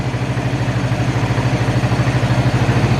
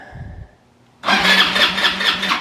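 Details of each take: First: Abandoned ATV after cleaning the fuel tank, blowing out and replacing fuel lines, carb untouched: fires right up into a steady, even single-cylinder idle with regular firing and no misses; inline fuel filter still needed. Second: Abandoned ATV after cleaning the starter solenoid and new cable ends: starter cranks briskly and evenly for over a second but it never fires; fuel delivery problem suspected.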